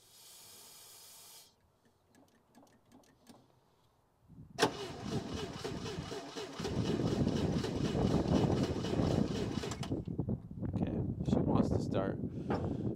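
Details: International Scout 80 (1963–65), sitting over 10 years: starter cranks steadily for several seconds but it never fires. Owner suspects dirty ignition points and plans to clean them.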